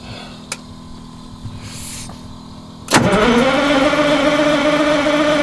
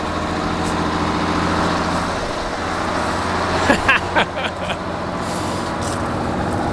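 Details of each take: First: Old bus on a cold winter start, block heater not plugged in: a quiet crank, then it catches around three seconds and settles into a steady, rising drone; a hard cold start that fires. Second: Old diesel coach (bus) in cold icy weather, high idle engaged to warm up and fill air tanks and airbags; steady, even drone at raised idle with a few handling clunks nearby; normal healthy high idle.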